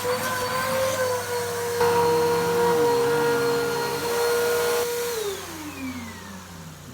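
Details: Salvaged vacuum, either a Bissell PowerTrack Compact 1808 or a 2012 Hoover WindTunnel 2 Rewind UH70820, blowing dust out of the motor: a high whine wavering unevenly in pitch, then winding down. The motor sounds wrong and needs servicing.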